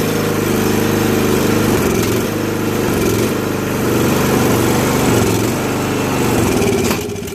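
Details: 2001 Murray Select LT riding mower after oil change and carburetor cleaning (float needle stuck open from ethanol, gas had flooded crankcase), run about three minutes: steady even putter, no misses or surging, idling a touch fast; running smooth after repair.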